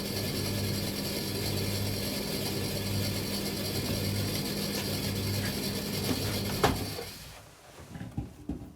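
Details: Bosch XL7 tumble dryer, drum turning but stone cold with no heat: steady drum hum with uneven mechanical ratcheting, roughly three clicks a second, until it stops; not a jockey wheel, source not yet traced.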